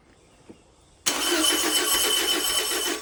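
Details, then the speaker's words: Porsche 914 with newly built 2056 cc engine, dual throttle body MegaSquirt EFI, 123Ignition, first start on test stand: catches and runs briefly with thin raspy note, dies after about two seconds; lean stall, fuel not set correctly in software. "so wouldn't stay running because we did not have our fuel um set up correctly in the software so really not getting enough fuel to keep it around"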